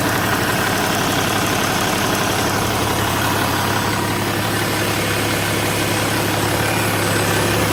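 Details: BMW E61 525d LCI diesel at idle: steady idle with an even clatter about three beats a second and a faint hiss on top; engine noise, turbo suspected, cause unclear.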